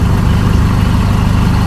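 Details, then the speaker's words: 2012–13 Chevrolet Colorado diesel showing occasional white smoke, stumbling, shaking, knocking and poor acceleration, with injector fault codes on all four cylinders (cylinder 2 flagged): a deep, uneven, lumpy idle. Faulty injectors suspected for the rough running. "วันนี้สตาร์ทขึ้นมานะครับมีควันขาวบางครั้งเครื่องยนต์สะดุดสั่นนะครับแล้วก็เขกด้วยบางครั้งก็เร่งไม่ขึ้นนะ"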